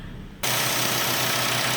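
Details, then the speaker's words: 2012 Chevy Cruze 1.4 L at idle: steady sharp hiss over low engine idle from valve cover vacuum leak; scan data shows rich short-term fuel trim, lean O2s; new valve cover fixed it. "Okay. So, instantly, I don't know if the camera is picking that up, but you can plaintly see or not see, you can hear a vacuum leak and get you on the get the scanned data here."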